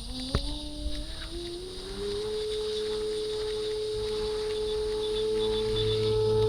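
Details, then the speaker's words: Motorguide Xi3 70 lb 54-inch shaft trolling motor: motor whine rises in pitch then holds steady at high speed, with a beep marking maximum speed; normal maximum-speed beep. "And you hear a beep indicating that you've reached maximum speed."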